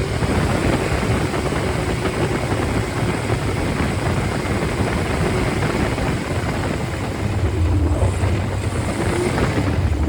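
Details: Freshly rebuilt 1500 engine (Triumph Spitfire/MG Midget, number FP22382UE; balanced; 9.5:1 compression, 270 cam) running hot: steady, smooth beat with no knocks or ticks; oil pressure is about 60 psi above 3,000 rpm and 28–30 psi at hot idle; healthy.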